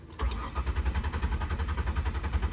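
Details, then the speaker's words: 2003 Ford Windstar van with water-contaminated gas and fuel injection (no carb), after pumping the pedal in case it was flooded: steady, even cranking at about eight pulses a second that never fires; cranks, no start, owner suspects fuel delivery. "No, I mean if it was flooded, I think it would have started trying to start, but that's weird."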